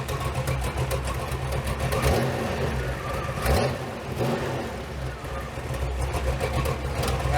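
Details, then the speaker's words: V8-swapped 1986 Pontiac Fiero after sitting for years, just after the coolant flush, before the exhaust was fitted. Deep, throaty V8 rising and falling smoothly through several blips with no knocks or misses; sounds healthy. "Sounds pretty good, don't it? Yeah, seems like we might have known what we were doing."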